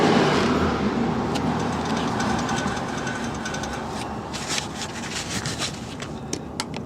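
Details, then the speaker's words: 2010 Honda Odyssey with humming/howling at about 30-40 mph: hub turned by hand with brake parts off grinds roughly with ticking, not turning freely; worn hub bearing assembly. "I can turn this but it doesn't turn smooth I don't know if you could hear the grinding noise did you hear that"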